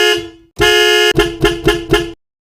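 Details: Chevrolet bus anti-theft alarm set off by an opened door, sounding through the horn with lights flashing until reset: a short honk, a longer steady blast, then four quick honks.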